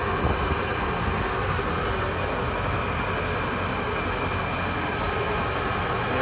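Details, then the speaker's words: Volvo Penta boat engine in the lake after a refurbished fuel pump was installed and primed: steady, even idle with a low rumble and no fuel pump whine; running cleanly. "sounds like it's running good we don't have any winding from our pump"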